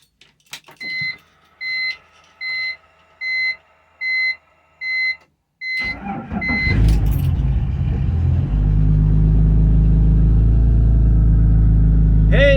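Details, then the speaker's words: BMW E46 with M54B30 engine, M56 valve cover, MS43 ECU, retrofitted pencil coils, running on E85, after replacing a dead cylinder 1 ignition coil with a salvage-yard coil: chimes, short crank, catches and settles to a stable idle on all cylinders. "it's running on all cylinders and it settled down into a nice stable idle all right I'm happy with that"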